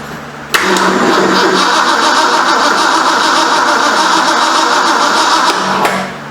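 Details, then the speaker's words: 1973 Ford Mustang Mach 1, 351 Cleveland, electronic ignition conversion; about five seconds cranking roughly three turns a second on a weak battery, no firing despite gas. Owner suspects the coil wire on the wrong terminal; no 12 volts found at coil. "For some reason we're not getting any fire. Maybe because I got the wire on the wrong one."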